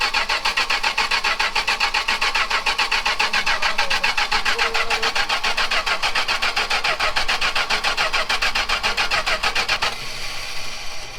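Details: Chrysler 440 big block from a 1974 New Yorker, no key in the ignition, tumbler turned by hand: steady starter cranking about three and a half beats a second never catches.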